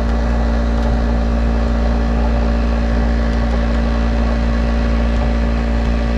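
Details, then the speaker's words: 1991 Snyder General furnace with the burner lit after clearing a clogged port: a loud, steady, droning motor hum with a rough edge; the blower motor runs but sounds strained, and a bad capacitor is suspected but not confirmed. "That does not sound happy. See if I can find a capacitor on that one, but it is running."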